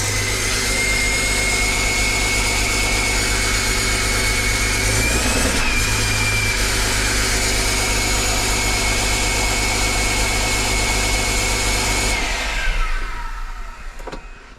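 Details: Rebuilt 6068 PowerTech diesel from a John Deere 6170R, started after rebuild while engine oil pressure is checked on live data: steady, even diesel clatter at constant idle with faint high whine; smooth, healthy idle, then shuts down.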